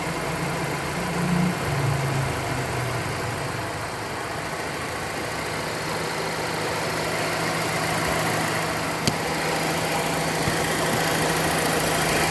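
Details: Mazda Demio (Mazda2) at idle after maintenance, low even hum with no knocks, ticks or squeals; rattle from the tensioner (monotensor) corrected; normal idle.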